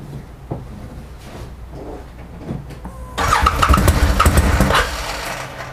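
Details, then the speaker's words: 2013 Arctic Cat Wildcat 1000 X salvage side-by-side at idle, after new spark plugs and fresh fuel: catches after short crank, lumpy, uneven loping idle, seems to be missing on almost one cylinder. "so i've been trying for the last hour to get this thing going running just on idle um it seems to be missing like almost on one cylinder i've changed the spark plugs changed out the fuel just to be sure"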